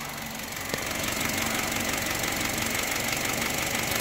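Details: 2011 Honda City after maintenance and engine flush, light revving: quick uneven tapping about three per second over a hissy idle; engine knocking after the flush, cause not pinned down.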